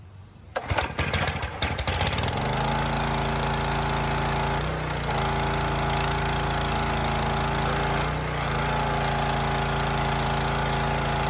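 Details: Teande 4200 psi pressure washer with a Rato 209 cc Honda-clone engine, after sitting a while, choke start with water connected, after an obstruction was cleared and the area under the flywheel cleaned: catches after rough pulses, then runs steadily with no rubbing; healthy.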